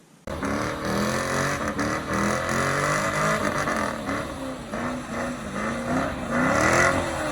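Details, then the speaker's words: Modified Chevrolet Camaro SS "Bruce" with a slight torque drop. In manual mode, revving hard toward redline for a burnout, a thin whistle-like high pitch rises and falls with revs, then was less high afterwards. Cause unknown; pedal travel issue noted. "So I was in manual mode and I was revving up to do the burnout, and I revved pretty high, and I heard, I don't know, it went to a really high pitch."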